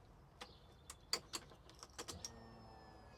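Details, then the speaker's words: Ford Fiesta XR2i barn find off the road 14 years, key on: clicks, then faint steady high whine about a second as the fuel pump primes and builds rail pressure; normal. "it's priming perfect not only is it priming perfect fuel rail see we got fuel pressure there"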